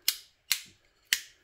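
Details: Three crisp, even clicks of a new chrome Click wall light switch toggled on and off, fitted to replace a 6-month-old Lap switch that was arcing badly; normal operation.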